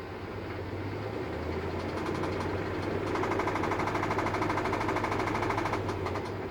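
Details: 2003 5.7 Hemi V8 at idle: sharp, regular knock about three beats a second that swells and fades; owner has had rod knock before, which was constant, and doubts this is a rod, suspects rod or lifter.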